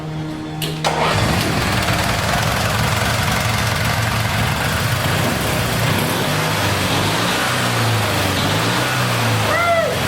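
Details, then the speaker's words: Mini dune-buggy utility vehicle after new fuel shutoff and fuel line: starter turns briefly, engine catches quickly and settles into steady, even idle with no knocks or misses. "all right i got it all back together and it started i had to give it a little help till got the fuel pumped up but it does run"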